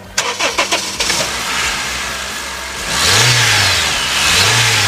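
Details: Honda Civic after no-start repair (starter cranked but engine computer lost communication): brief cranking catches quickly into a steady idle, then two clean revs rise and fall smoothly; engine now starts and runs normally.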